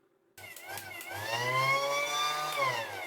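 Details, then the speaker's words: Battery-powered pump with a sealed motor unit working intermittently: motor spins up into a high, wavering whine with a slightly rough edge; owner concludes the motor is sticking, not the connection. "So, no. I'm going to say then it's the motor. It's not the connection, it's the motors getting stuck."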